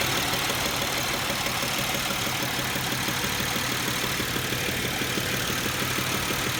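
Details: 2007 Pontiac Grand Prix at warm idle: steady light tapping about three per second under a busy engine note; silent when cold, knock starts once warmed up, source not identified.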